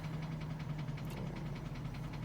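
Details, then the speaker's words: Used engine bought from eBay, warm with 20 psi oil pressure at idle, heard from underneath: steady, regular knock about five times a second from a spun bearing that appeared after driving; expected to lock up eventually. "it's quite a bearing get under here and let you hear it this motor's gonna lock up eventually"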